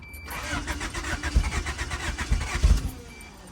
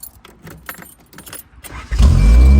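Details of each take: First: 1987 Honda Accord carbureted four-cylinder, spark plugs reinstalled after compression readings of 150 and 157: after a rough cranking catch it settles into a strong steady idle, misfires seemingly gone but revving too high at idle; idle screw adjustment planned. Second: 1987 Honda Accord carbureted engine: after some rattling it starts right up and settles into a loud, steady low idle with no stumbling; much better, though more adjusting still expected.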